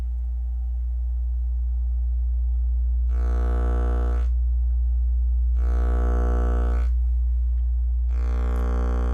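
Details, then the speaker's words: Miller & Kreisel MX-105 MkII subwoofer plate amp on 120 V AC fed a 60 Hz test tone: harsh buzzy clipping surges in and out with AC phase; distortion from failed main filter capacitors, fixed by full recap. "and you hear how the clipping is coming and going as the signal generator is in phase and outer phase of the incoming ac power"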